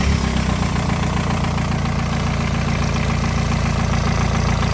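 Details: VW ALH engine after the A/C compressor clutch pulley bearing swap: steady, even idle with a smooth low rumble. No whine or bearing growl with the A/C switched on and off; the repaired accessory drive sounds healthy.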